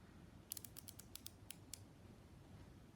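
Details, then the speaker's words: Metric micrometer closing on a marker's outside diameter: a quick run of about nine crisp light clicks over a second as the ratchet slips, showing measuring force is reached; normal ratchet click. "then i turn to my ratchet you'll actually hear the audible clicking and you've reached as tight as it can go"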